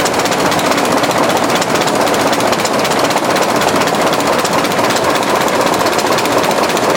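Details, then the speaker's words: 1920s General Electric genset, hand-cranked with a gasoline-primed cylinder after over 10 years unused, exhaust piped outside. Steady, fast, even chuffing with a sharp mechanical clatter at constant speed. Healthy running. "let's see what this exhaust looks like exhaust goes across the room here in that pipe comes outside here oh loosen it pretty healthy sound"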